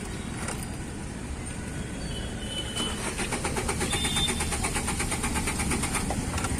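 Starter spins the engine at an even churning rate but it never catches and fires; weak body earth is starving the system of voltage.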